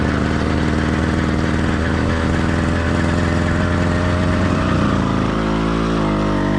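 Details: Warmed-up but not heat-soaked two-stroke motorized bike kit engine (single-speed, single-circuit carburetor): steady buzz shifting pitch near the end, slightly uneven beat at times; light four-stroking, normal for a warm engine.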